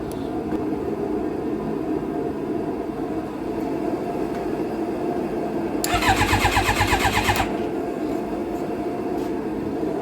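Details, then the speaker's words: Stolen-and-recovered fuel-injected Suzuki GSX-R 600, clutch held in: quick even starter crank of about a second and a half that never fires; tank likely empty or too low to pick up fuel, fuel pump not running. "got it to turn over so that's exciting i'm sure the tank is empty if not low enough that it's probably not picking up anything"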